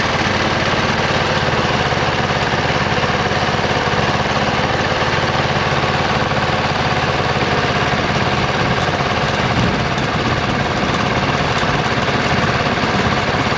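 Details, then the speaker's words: 26 HP Kohler V-twin lawn tractor under load in deep grass. A loping, uneven beat of about three pulses a second with gaps where one cylinder drops out: a misfire. Rich black exhaust with an unburned-gas smell after nearly two years of intermittent misfires. Ignition coil suspected. "so I've had an intermittent problem with this tractor where it starts missing and it seems like it's running on just one cylinder and that's what I demonstrated when I was driving it up here it was running on one cylinder"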